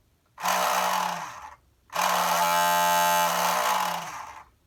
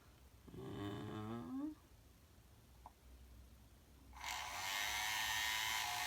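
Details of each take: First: Shark ION RV761 robot vacuum suction motor bench-run with applied voltage: harsh, rasping buzz-whine over a hissy rush instead of a clean hum. Failing suction motor, being replaced. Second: Shark ION Robot RV761 vacuum, replacement suction motor bench-tested on a battery before fitting (old one made a horrible noise): small motor spins up to a high, even whir for about two seconds, no rattle or scrape; normal running.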